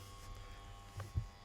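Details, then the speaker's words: 2010 Skoda Fabia 1.2 with ABS light, fault code 01201 ABS valves supply voltage and heavy parasitic draw: low steady electric motor hum with engine off, ABS pump running constantly, unit hot, flattening the battery. "indeed the abs unit's running constantly the customers complain about this so oh it's roasting as well"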